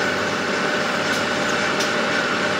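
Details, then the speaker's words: Lathe with 0.8 mm feed per turn taking a deep cut in submarine-build work: steady, even cutting hiss, no chatter, producing better, controllable chips. "that's way better I'm getting a really deep cut I'm getting better chips and overall this is much faster and the the chips are a lot easier to control and not as dangerous"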